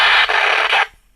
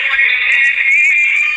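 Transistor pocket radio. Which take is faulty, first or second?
first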